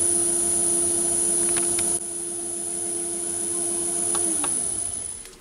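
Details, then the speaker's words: Myford ML7 lathe turning with a large 125mm chuck: shrill steady high-pitched chatter ring over the motor hum, likely from radial free-play, overhang and spindle thread movement. "so that last cut was 110th hour overall and you could hear it chattering there with that one"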